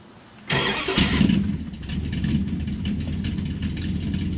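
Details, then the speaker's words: 1968 Dodge Dart V8 cold start with choke applied after new Autogage tach install: starter catches, fires at once, flares briefly, then settles to an even, steady idle around 700–750 RPM with no misses. Healthy cold start. "She's idling around 700 RPM, 750. All right. And the choke is applied. Let it warm up a little. Sounds pretty good, huh?"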